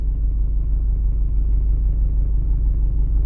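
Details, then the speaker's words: Diesel engine warming up at an uneven idle with cabin vibration; lumpy beat barely changes when injector three is cut out, so cylinder three isn't firing; owner suspects an injector. "зараз буду вичислять яка форсунка не працює третій циліндр не працює от я що вимикаю його оце зараз машина з вимкнутим третім"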